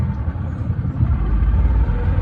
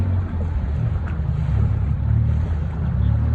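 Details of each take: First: Previously sunk boat's outboard on first lake run after rewiring: low, uneven rumble that stumbles and sputters; owner suspects bad gas from the smell. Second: Outboard on a previously sunk flats boat, first run out, cold: sputters at first, owner suspects bad fuel, then clears after a few seconds into a steady, even higher note with no misfire; normal running.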